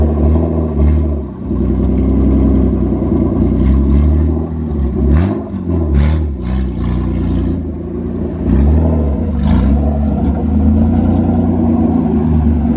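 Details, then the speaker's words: V6-swapped Toyota MR2 on its first drive under its own power, engine still a bit cold, no muffler fitted: loud raw exhaust bark rising and falling cleanly with throttle blips, smooth and even, no misfire, "sounds like a race car"; healthy unmuffled V6. "it actually sounds like a race car it's so meaty"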